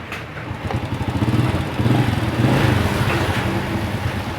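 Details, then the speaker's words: 1997 Honda Astrea Grand that wouldn't shut off with ignition off, after fitting a relay to the original CDI: single-cylinder at steady low idle, firing evenly with no knocks or misses; ignition now switches it off. "Kontak kita on kan ya. Motor sudah hidup ya, normal. Coba kita matikan ya. Alhamdulillah berjalan lancar ya."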